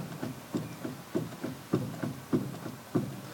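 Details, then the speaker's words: MGB on the ground, steering wheel rocked left and right, microphone moved near the rack: dull clunks about every third of a second with each rock, from play inside the rack and pinion housing, before rack replacement. "We have quite some play on this."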